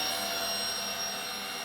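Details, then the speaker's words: 1996 washing machine commutator motor after new brushes and bearings, run for a while: steady high-pitched whine at even speed, no crackle, grinding or rumble; motor runs cleanly. "We've been running for a while. See it. Sounds good to me."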